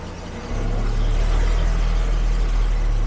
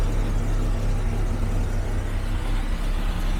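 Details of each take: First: 1974 carbureted Jaguar XJ12 V12 after a timing adjustment: catches after a brief crank and runs deep and even, now firing on all 12 cylinders, possibly missing on one. Still cold and needing timing and carb adjustment. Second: 1974 Jaguar XJ12 Series 2 carbureted V12, restarted after six years sitting (was on 7 cylinders): cold on choke, catches and revs unevenly, lumpy and hesitant; timing partly adjusted, still needs warm-up and timing-light setting.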